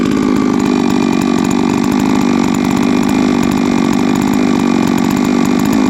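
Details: Huztl-based MS660 (066 platform) custom mill saw, 3 years old, ported 56mm cylinder, fired up after an in-field full clutch replacement: loud, even two-stroke snarl holding steady with no stumbling or rattles; running cleanly.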